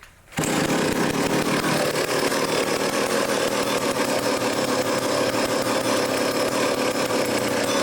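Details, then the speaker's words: Old vintage foreign chainsaw during revival: idle screw turned in with the air cleaner off. It holds a steady, even two-stroke buzz with no surging or dying. Normal running. "all right that sounds good as we die of carbon monoxide poisoning so I leaned out the low speed a little bit"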